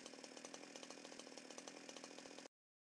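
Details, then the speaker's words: Chainsaw (2-stroke) idling lumpy with more exhaust smoke than usual; low-speed L screw set too far out lets too much fuel into the carburettor induction tube, making the mixture too rich to combust. Remedy is screwing the L screw in. "okay so in this example the engine is idling a little lumpy and there's a bit more than usual smoke emitting from the exhaust although it's quite difficult to see on camera"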